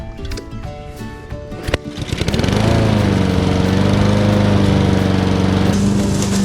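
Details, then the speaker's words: Husqvarna AWD self-propelled push mower revived after 3 years abandoned in a barn, new carburetor fitted: rough starting clatter settles into steady even single-cylinder drone, holds speed without surging; runs properly with good power. "It has a lot more power than I would thought it would have. It seems to work great, so I'm gonna call that success."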